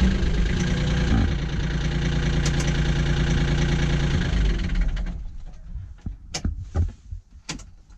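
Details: Kioti CK20HS diesel tractor, after glow-plug warm-up and cracking the injectors to bleed air, suspected of losing fuel prime overnight: catches and settles into a steady, even idle knock for about five seconds before shutdown; normal idle.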